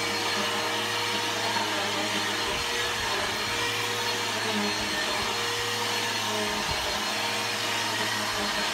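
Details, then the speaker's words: Bissell Powerforce Helix 1240 upright vacuum running on carpet: steady motor roar with a constant thin whine and dry rumble; worn brush roll bearings, not the motor, brush roll needs replacing soon. "uh you can hear the bearings are going out in it um not the motor the brush roll um the bearings are out in the brush roll so the brush roll need to be replaced soon"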